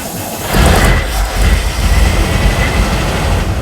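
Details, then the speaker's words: Cadillac engine started after sitting catches and settles into a lumpy, uneven low rumble, running rough; cause not confirmed. "It's alive. It doesn't sound good, but it's alive."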